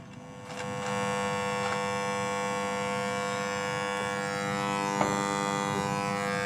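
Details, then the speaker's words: Bluetooth MP3 module newly fitted to a cassette compo stereo: steady electronic buzz with a droning tone through the speaker, faint pulsing and clicks, worst in Bluetooth mode, sometimes following the Bluetooth light's blink rhythm. "Lihat , ada suara bising, terutama ada suara bising, khususnya saat dalam mode Bluetooth, kan, teman-teman."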